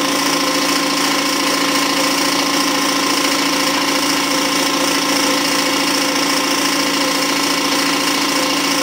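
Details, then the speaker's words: New Campbell Hausfeld 20 gal twin-cylinder air compressor, regulator off, building tank pressure to about 50 psi (135 max): loud, even, rapid pumping chatter with steady tone; normal compressor running. "seems relatively quiet i've got the regulator turned off so it's just building up treasure it's almost at 50"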